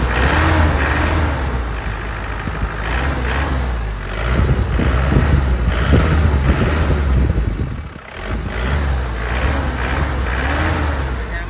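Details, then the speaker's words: 2003 Isuzu Panther LS (Black Panther) diesel, original engine, recently serviced radiator and alternator, idling with light throttle blips; deep steady chug, no harsh 'tek tek' knocking or roughness, no smoke; engine sounds smooth and healthy. "ya suaranya reny nya ya. Kas penter suara tek tek tek tek tek tek enggak ada tidak kasar ya"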